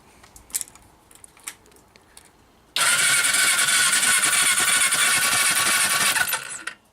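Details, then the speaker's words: Suzuki GS500 project bike after engine reinstall, spark plugs removed with caps connected to check spark: quick even starter whir spinning freely with no compression load for about four seconds; normal cranking, good strong spark. "taking the plugs out put caps on connected up the coils just to check see if we get a good spark"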